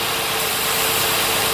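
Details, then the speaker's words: 2009-2015 Nissan Maxima idling with P0171 code: steady airy hiss from a small nick in the second intake manifold vacuum hose (white line), past the mass airflow sensor; revs dip when covered by hand, idles back up when released. Vacuum leak. "Let off of it, idles back up. So anyway, there's a small little nick in that hose."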